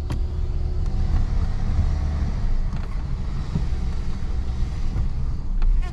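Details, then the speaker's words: 1986 Ford LTD Crown Victoria, engine replaced, stalls after sitting and running; deep, heavy low idle rumbles unevenly and sags, sputters and nearly dies; rough idle, near stall. "Oh, whoa. It just tried to die. I felt it sputter."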